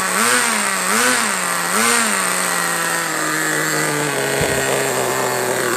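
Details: HSP Warhead 1/10 nitro buggy with Vertex .18 (2.95cc) engine, started in winter while idle speed is adjusted. Buzzy engine swells up and down in quick blips, then settles to an even steady note, running clean.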